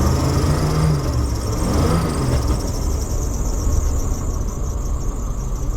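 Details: Vintage Allegro RV winter start-up, idle: steady engine drone with faint high squeak riding on top, possibly from the alternator belt; owner considers swapping in a higher-amp alternator; suspected belt squeal.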